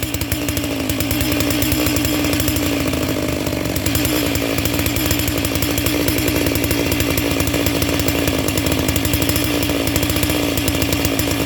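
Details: Brand-new Neotec NS892 chainsaw (Stihl MS660 clone), first start out of the box after half choke: steady high drone with slightly uneven burbling edge rather than clean scream; two-stroke carb set on the rich side, acceptable for new equipment.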